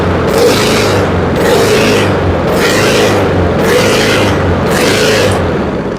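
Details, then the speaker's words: Honda HRX217 lawn mower surging: engine speed hunts up and down about once a second instead of holding an even idle. Oil is very dark. Suspected dirt in the carburetor, which was removed, cleaned and drilled to fix it. "Okay, so with it surging like that, it's probably going to be a situation in the carburetor. Maybe it's got a little dirt."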